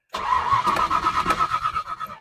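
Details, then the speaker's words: 1970 Ford Falcon with 5.0 small-block Ford swap, after a carb clean and rebuild with choke disconnected: catches and runs roughly about two seconds, pulsing unevenly, then dies; carb bowls found completely dry, fuel starvation from a rebuild mistake. "choke is disconnected [Laughter] I'm running out of fuel so something's not working"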